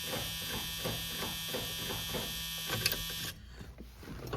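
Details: Testing a switch panel wiring on Project Blue Jay, switch that does cranking: steady starter whine with even quick compression pulses for about three seconds, then stops; starter cranking normally.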